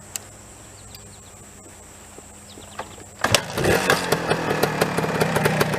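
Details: Suzuki TS250 two-stroke, barn find with new piston rings, rebuilt carburetor, new oil and oil injection lines, no battery; catches after about three seconds into a crisp even ring-ding beat; normal two-stroke running.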